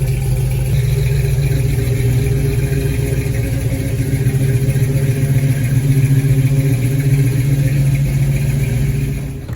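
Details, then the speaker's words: 1968 Chevelle wagon with LS engine on new Holley Terminator X Max EFI, running before its learning drive: deep, even V8 rumble picking up smoothly with light throttle blips, no misses or knocks; normal running. "So anyway, yeah, it's gotta get a few miles on it to learn, but you're running, buddy."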